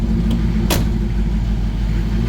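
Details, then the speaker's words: Ford Thunderbird first start after engine pulled, intake and wiring redone: catches and settles into a steady, deep, even rumble with no knocks or misses; a little wonky until warm, idle too low can stall it. "This is a little wonky till she warms up."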